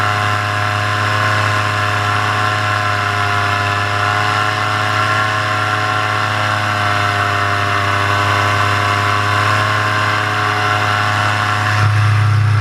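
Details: Paramotor in flight just after launch, full fuel tank, motor under an hour of flying time, throttle held wide open: steady high-revving buzz at one even pitch, no dips or surging; pulling cleanly before the later bogging and failure.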